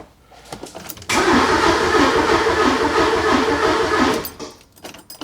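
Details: 944 project car cranked after about two gallons of gas were added and the fuel primed. The starter turns the engine evenly, about three beats a second for roughly three seconds, but it never catches: crank-no-start.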